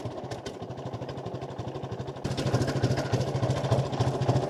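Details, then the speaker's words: 1950 Ford 8N tractor in neutral after cleaning filthy spark plugs: slow, even chuffing at about 300 rpm idle, then clean pickup toward full throttle with no misses; a definite improvement over running rough. "I think it sounds smoother than it did. Let's go from a complete idle to full throttle. Yeah, that's way better than it was."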